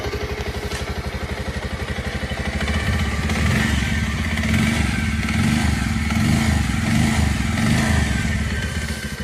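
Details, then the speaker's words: Bajaj Pulsar BS6 single after its noisy timing chain (previously a clattering "kat kat" sound) was replaced and the bike reassembled: a steady putter that rises and falls smoothly under light revs, with no chain rattle. Normal idle and revving. "लगाने के बाद हम दिखाएंगे कि आवाज इसका कितना अच्छा हुआ है।"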